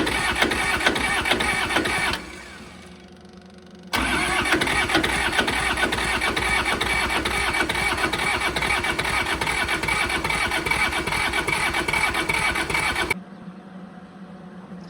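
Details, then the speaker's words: Kubota L285 four-cylinder diesel tractor after 8+ years sitting, fuel system bled and ether used: steady cranking at about two compression beats a second, never catches; injector lines to be pulled to check pump delivery. Crank, no start. "Alright, still doesn't want to fire, so I'm gonna pull all these lines off, all four."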